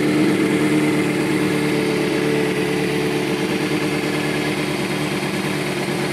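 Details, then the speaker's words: 2005 Kawasaki ZX-6R 636cc track bike, 7,219 miles, Muzzy full exhaust, Power Commander, nearly warmed up: even, steady idle pulsing about three per second with no misses or knocks. Normal warm idle. "so sounds like it just about warmed up see it's running really smooth no issues"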